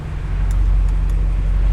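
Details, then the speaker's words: BMW F85 X5M, road test while turning after replacing the axle and diff seal for a ticking noise when turning: smooth low road rumble with no clicking or popping, so the old axle was the cause; normal CV axle. "no nothing so far so I must have been the axle cuz I would have done it right I would have done it by now"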